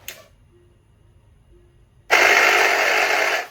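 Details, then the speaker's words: Tesla Model S with an intermittent random noise, reproduced by changing ride height: a harsh buzzing whir for about 1.5 seconds. The air suspension compressor is faulty; replacement followed. "The air compressor, something to do with this air compressor for the suspension. So it must have been lowering and raising itself up and down. So now we know it's got a faulty suspension air compressor."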